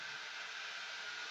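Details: Turbo spin dryer running after repair of its dropped centrifuge basket, now re-centred: a steady, even high whirr with no knocking, scraping or wobble. It spins up smoothly and sounds healthy.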